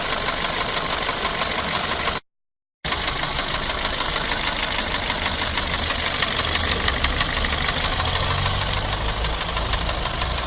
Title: Bruit moteur clio2 Phase - صوت غير عادي فى محرك رينو كليو